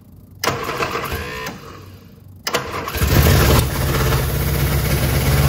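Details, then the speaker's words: Long-stored Innocenti S Spyder fed from a fuel jug because the tank and line are clogged, choke held, starting fluid used: short cranking bursts, then it catches into a low, uneven idle; runs but poorly. "final we have an engine that we can just start up obviously it could be running a lot better than it is right now"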